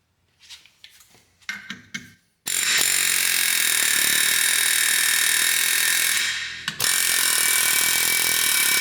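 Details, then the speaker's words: 1979 Mercury Cougar XR7, rusted brake drum seized on the axle hub: rapid air-hammer chatter, about four blows a second, then the ringing pitch changes as the drum breaks free. "when you're air hammering it'll it'll have a pretty solid sound and that all of a sudden that'll change pitch that's when you know it's it's breaking free"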